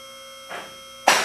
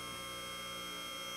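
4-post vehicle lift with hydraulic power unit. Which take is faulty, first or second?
first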